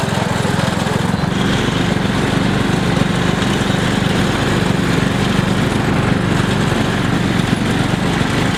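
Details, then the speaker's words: Cheap MTD lawn tractor during a durability test: the engine runs hard with a rough, uneven flutter in the drive that sounds off. The owner suspects a slipping belt, which later kept slipping off and was replaced with a new belt. "That sounds crazy. We want to go get a new belt."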